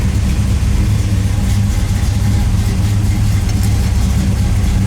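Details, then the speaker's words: 1973 Camaro Z28 RS V8 after roller rocker install: deep, steady, lumpy idle with no valvetrain ticking or tapping; timing close, possibly needing minor adjustment; normal idle. "All right, so it looks like we got the timing pretty close. Maybe just a few minor adjustments, but basically the motor is running. And you can hear it. It sounds pretty good, I'd say."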